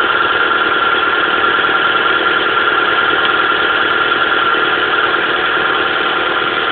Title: Pajero mini misfire (high idle)